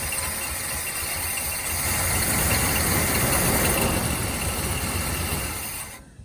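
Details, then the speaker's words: Lumpy idle with a steady stumble on a C10 engine with flat camshaft lobes. It is running on seven cylinders because a broken pushrod and rocker arm were removed; start made to see whether the valve adjustment helped. "okay so it's only gonna run on seven cylinders right now because i pulled the broken push rod and uh rocker arm out i'm gonna fire it up just to see if the valve made any adjustment at all"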